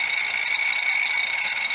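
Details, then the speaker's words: Dead hard drive running in a caddy; steady high scraping hiss with a ringing tone near two kilohertz over the spin, a head dragging across the platter. Head crash. "that's not what a drive should sound like that's what a head dragging across the platter sounds like"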